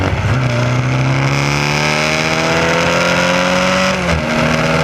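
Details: SCCA Formula Continental race car revving hard and shifting, with a ragged, uneven note under load: an ignition misfire caused by a distributor wire picking up pulse signals from the electric fuel pump.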